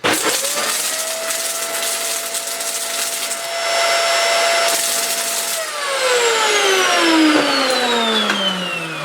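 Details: Vax Mach Air vacuum cleaner from a rental house, found in a bad state, run on the table; motor spins to a high whine with a rushing roar but almost no suction, as the airflow is massively clogged. Clogged airflow with motor damage.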